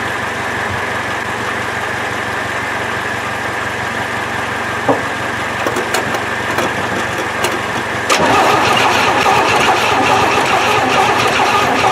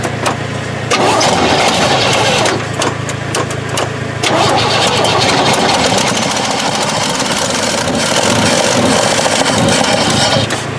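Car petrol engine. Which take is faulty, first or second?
first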